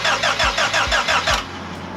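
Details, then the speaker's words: Honda Civic with rebuilt engine, new timing belt and water pump, valves adjusted, first start attempt: quick, even starter cranking with no firing; no spark, later traced to the distributor not plugged in correctly; crank no start. "there's no spark huh there's no spark"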